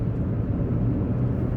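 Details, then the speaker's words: 2015 Hyundai HB20 automatic with about 51,130 km, cabin sound while driving: steady low road and engine hum with no ticks, buzzes or rattles from loose trim. The interior is quiet and tight, and the car has had no problems in 50,000 km. "e internamente também quando você está rodando então a gente não ouve eh ruídos né Eh de peças soltas algumas falhas de acabamento nada"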